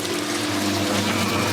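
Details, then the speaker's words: 1980s Australian-built Simpson Mini-Matic washer, blue pump at the back: steady low hum with watery rushing as the pump empties the tub; a normal, healthy pump-out. "There's a pump at the back, and there's a motor over there doing its job. Now I'll show you the back. There it is, pumping out."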